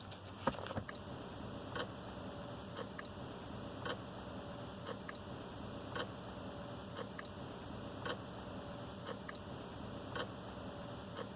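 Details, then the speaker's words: Mercedes W123 300D dashboard clock after replacing its two old capacitors, cluster not yet pushed back in: soft, steady ticks about once a second, clock running normally. "the clock is now ticking all right so we have set it at 12 10 which is the current time"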